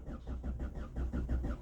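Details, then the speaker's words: Ford EcoSport four-cylinder with a crank-no-start complaint: the starter churns at an even, slow six strokes a second with soft, weak puffs and no catch; the relative compression test reads three cylinders at 70% of one, confirming compression loss. "Relative compression में अभी ये मुझे clear हो गया की मेरा यहां पर कंप्रेशन लॉस है"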